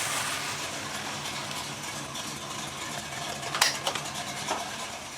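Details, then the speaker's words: 1963 Chevy C10 small-block 350 with a four-barrel carb, after setting ignition timing to about 16° and readjusting idle: smooth, steady idle with no stumble. It idles about 600 rpm in gear and slightly hesitates when mashed, suspected to need accelerator pump shot adjustment. "go inside look at our RPMs idle's nice and smooth"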